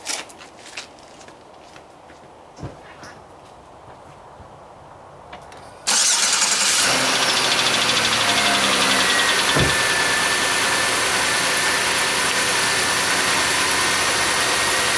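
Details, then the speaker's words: Old Chevy Venture van after a new belt, idler pulley and tensioner: cranks, catches and idles steadily with light lifter ticking about three per second. The earlier belt-drive whistling is gone. "all right so other than some lifter noise because it is an old car the whistling noise is gone"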